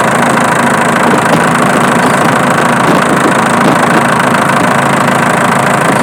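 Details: Diesel idling steadily with a light, fairly regular clicking, a bit over two per second; traced with a camera to the alternator, not the injection pump.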